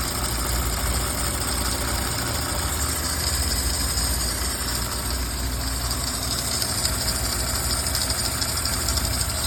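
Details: Audi A6 3.0L engine idling with a dense hissing whir and faint high-pitched tones; coolant leaking onto the alternator belt from the water pump and the vacuum solenoid valve, contaminating the vacuum hoses; all three need replacing.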